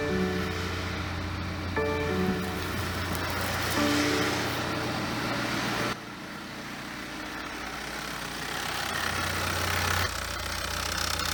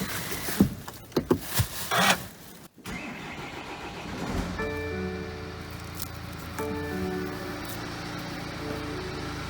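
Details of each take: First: BMW F34 320d with B47 diesel, about 150k km, idling during inspection: steady coarse whirring drone over the engine from a noisy alternator, a rare fault in this model. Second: BMW F34 320d, B47 diesel, manual with all-wheel drive, after alternator replacement to cure noises: engine cranks, catches and settles into a steady, even idle with no knocks or whines; car is fixed.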